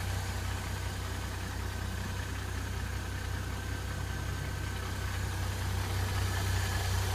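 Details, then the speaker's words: Mercedes M272 engine, bonnet open, smooth after a cold start: once warmed up, a fast, light metallic tapping appears over the idle, seemingly from the left and slightly diesel-like. Source unknown and needs closer listening. "Сейчас, когда он прогреется, начнется этот шелест. Такой что-то типа тарабанит, такой металлический должен быть."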